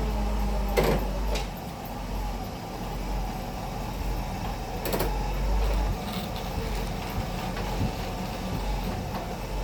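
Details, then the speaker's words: 1963 Pontiac idling after its loose bolts were tightened. Low, steady rumble with the earlier crank-like knock gone; normal running. "So that should do. That'll be our fix, and our crank busting like noise is gone now."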